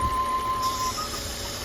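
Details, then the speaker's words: 2007 Volvo C70 T5 convertible, hood open at idle, no warning lights: thin steady high whistle over quiet idle, stops and returns when a part is pulled and refitted; owner guesses PCV, source not found. "the only thing I'm hearing is I'm hearing this little you can probably hear it too it's a little of a whistle oh I'm not sure where that's coming from"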